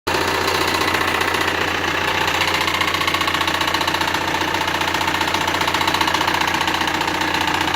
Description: Оказалось, всего лишь шкив коленвала болтается